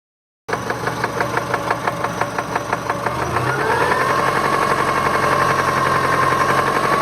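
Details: 1999 Subaru Legacy EJ22 petrol engine, 150k miles: sharp regular knock about three per second, quickening with revs. Began as suspected piston slap and worsened within 20 miles after a timing-belt change that didn't help; owner suspects rod knock.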